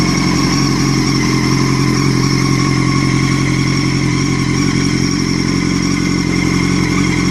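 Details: 2006 Honda CBR1000RR: a steady high whine over the engine that gets louder with revs. The bike feels held back, is hard to shift and hard to move in gear even with the clutch held, but rolls freely in neutral; suspected drivetrain or clutch drag, unconfirmed.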